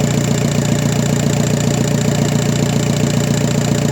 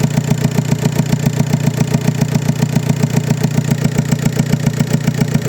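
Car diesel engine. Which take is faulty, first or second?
second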